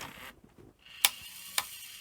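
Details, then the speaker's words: 1985 Philips VR6462 VHS short-play front-loader under repair: quiet deck with two sharp clicks as spool brakes release; idler moves but tape spools are not driven. "I don't know quite what's happening there cuz the idler's moving. It's just not driving the spools."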